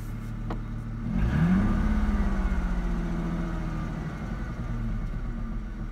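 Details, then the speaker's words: 2004 Ford Mustang 3.8L V6 automatic: rough idle with uneven popping thumps that shake the car, worsening after a minute or two of idling; scanner showed fuel pressure over 60 psi. Cause was a faulty-out-of-box SMP T-Series ignition coil pack, fixed by replacing it. "popping noise. Can't seem to figure it out. Now it's starting to do it a lot more. And every time it pops, the car shakes."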